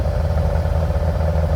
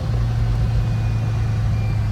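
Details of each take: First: 1957 VW Oval ragtop flat-four on Weber carbs, distributor changed several times, while driving: lumpy, stumbling low-speed run with a clattery rhythm. Good fast, bad slow; owner suspects the coil or MSD. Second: 1957 VW Oval ragtop flat-four after swapping Weber 44 carbs for 40s, while driving: an even, steady low drone with a constant note and no popping, stumbling or misfire. Running clean.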